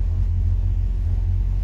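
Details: 1963 Falcon, turbo 2.3L (144 cu in), aftermarket throttle body: low, steady, even rumble with no misses, not fully warm at about 172–178°F, IAC at zero, ECU in closed-loop learning. Idle now much better but slightly high; balancing IAC (target 6–10%) against throttle blades.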